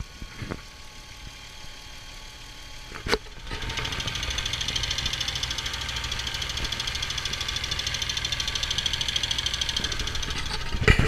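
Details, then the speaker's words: Jeep Wrangler JK inspected for purchase: the engine starts and settles into idle with a light, fast ticking running through it, and the power steering is also heard complaining; engine ticking at idle. "There is a ticking sound."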